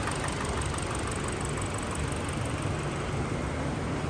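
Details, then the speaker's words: 2017 Hyundai Elantra 2.0 after swap to a low-mileage engine, warming toward operating temperature with AC on high: steady, even idle, constant low hum, no knocks or stumbles; healthier-sounding engine, no check engine light. "you just swap definitely sounds a hell of a lot better healthier engine right there"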